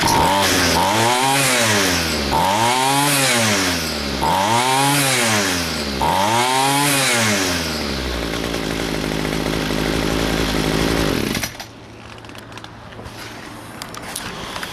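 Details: Homelite 26 VT weed eater, bought at about 4,500 ft elevation, now at sea level, after carburetor adjustment/mod with choke plate removed: revs climb and fall cleanly about every two seconds, then holds a steady idle without stalling; carburetor running right.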